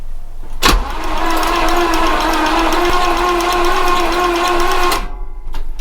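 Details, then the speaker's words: Squarebody Chevrolet that sat for years, cranked with all spark plugs removed so there is no compression: a steady, even starter whir with no stumbles, knocks or squeaks; it turns over freely. "sounds okay sounds good no big stumbles no big squeaks"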